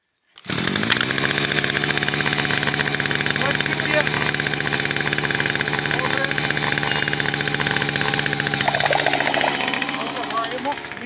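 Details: Zenit ZTBA 2900 petrol string trimmer, after replacing the failed starter with a new one: the engine catches and settles into a steady, even high buzz with no misfires or stumbles, so the trimmer now runs normally.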